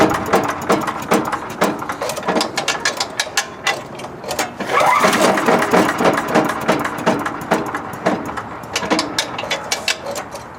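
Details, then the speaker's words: MTD five-horsepower wood chipper engine, bought at auction: uneven cranking pulls with scattered pops, coughs and backfiring, no catch; suspected half-sheared flywheel key throwing timing off, likely from overstuffing. "and it seemed like it was like backfiring a little bit trying to pull it. What uh usually means the pin the the keyway keyway is probably uh halfway sheared."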